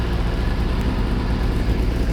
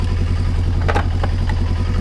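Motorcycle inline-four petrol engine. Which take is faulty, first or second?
second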